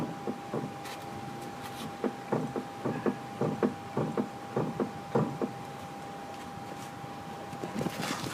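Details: 2003 Nissan 350Z making a noise when turning left: irregular hollow clunks in bursts, about two a second, over a quiet cabin; source not pinned down.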